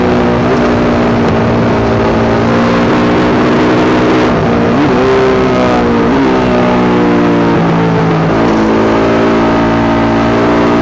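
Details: Yamaha YZ450 single in a supermono race bike on track, ragged stumbling beats breaking up the exhaust note under load. Constant misfire, worse after a couple of laps; carb, fuel tank, filter, breathers, ignition, coil, generator changed, cause not found.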